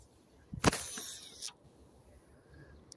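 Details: Abu Garcia C3 4601 baitcasting reel casting a 5 g lure with two brake weights: about a second of fast whirring spool spin ending in an abrupt rasp; a harder cast made the spool overrun the line.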